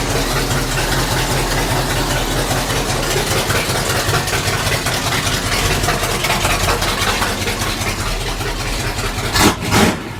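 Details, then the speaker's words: 1966 Chevy C10 V8 with only a 4 ft section of 3-inch pipe fitted, no mufflers yet: loud, raw, uneven idle barking from the short open pipe; runs fine but far too loud. "sounds pretty badass honestly it's way too loud but it sounds goodace yeah race car stuff"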